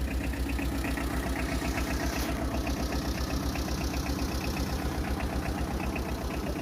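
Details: Second-hand Tata Ace EX diesel for sale, at idle: even, regular diesel clatter with no knocks or misses; owner says the engine is completely fine and healthy.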